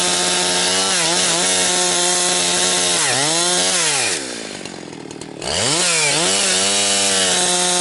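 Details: Husqvarna 362XP Special chainsaw with Walbro carb, tuned safely rich, cutting firewood. High revs climb, then stumble and gargle as they collapse mid-cut before picking back up. It four-strokes at the rev limit because of the wrong ignition coil fitted by a previous owner.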